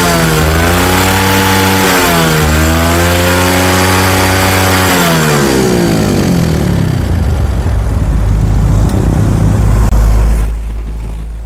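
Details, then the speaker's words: Old Yamaha Jupiter Z (like Vega R New) after carburetor fix: engine formerly roared and hesitated at mid RPM; idle normal, now revs up and down smoothly through mid revs with no stumble or flat spots. "Ini kita nyalakan mesinnya yang awalnya ngorok saat RPM tengah. Langsamnya normal ya. Bisa kasih lihat suaranya tanpa digas pun ya. Kita tes sekarang kita betot. Tidak ada kosong-kosong."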